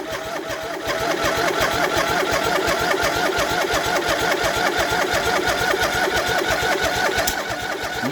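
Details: MTD Yardman riding tractor twin, first start in years, old fuel, valves just adjusted, new starter, choked: lumpy, uneven chuffing about three beats a second, running on one cylinder because a spark plug wire was left unhooked.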